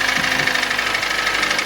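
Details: 2013–2014 Kia Cerato 2.0 L G4NA petrol engine idling with rapid, even hollow knock: piston slap; endoscopy shows heavy carbon and scuffed cylinder walls, worst in cylinder 4, where the sound originates.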